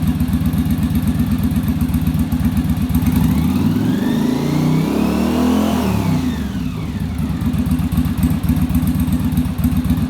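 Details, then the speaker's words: Yamaha Virago V-twin during final on-engine carb sync with a manometer after a bench sync: steady loping idle around four beats a second, with a brief blip that settles evenly; carbs sound balanced. "our idle's a lot smoother and then our acceleration i'll be a lot better because the carburetors aren't fighting each other"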